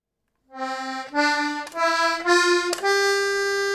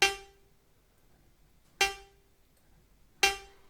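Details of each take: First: Accordion playing a few rising notes, then holding one long note that sounds weird because a reed is jammed (blocked); the reed is to be freed. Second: Accordion with a suddenly blocked reed: the reed is lifted with a thin metal plate and let fling back without bending it, to loosen the block; three sharp metallic pings ring out cleanly, so the reed now vibrates freely.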